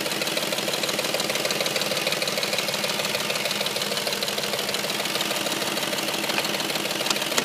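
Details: Audi S4 at warm idle: loud sharp, even tick about three per second over the engine, appearing once warm; knocking/ticking fault of unclear origin.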